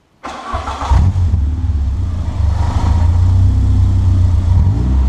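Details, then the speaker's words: Peugeot 205 1.9 Rallye after fitting a new exhaust: starts promptly, revs up and settles to a deep, steady exhaust note without knocks or rattles; normal engine revving. "oh yeah does that sound great i think so at least"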